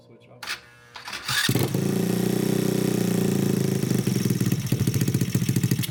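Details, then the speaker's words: Honda Grom clone single-cylinder, first proper start after valve adjustment (compression felt low before): catches after brief crank, steady slightly quick idle thump, no misfire; idle a little high, to be turned down; starts fine. "So, it does run. Let me turn the idle down a little bit. It was a little bit high. And that should keep running."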